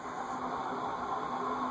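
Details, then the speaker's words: Cast iron Heat Recovery Systems L-356 industrial ceiling fan, circa 1991, at medium speed after seized bearings were freed with WD-40 and oil: steady, slightly rough whirring hum amplified by the cast iron housing; ceiling fan bearing whirr. "that's the one downside to cast-iron fans as the cat fan amplifies the bearing noise you can hear it sounds like a whirring sound"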